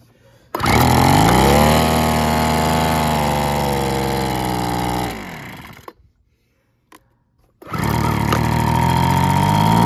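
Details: Weed Eater BV1650 two-stroke blower vac, curb find, after carburetor rebuild, new fuel filter, purge bulb and fuel lines, on fresh 40:1 mix: fires and holds a steady high buzz, dies briefly, restarts and runs evenly; normal running.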